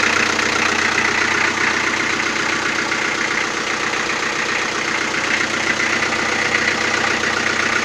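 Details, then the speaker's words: Toyota 4B diesel knocking after injection pump repair (plunger pair and nozzle replaced), timing adjustment not fixing it, cold idle: sharp fairly regular clatter about four knocks a second; cause not pinned down. "так сейчас заведу машину штук будет сильный пока свечи накаливания маленько не подаст минут потом чуть послабее а когда обороты упадут прогревочные штук будет немного слышала"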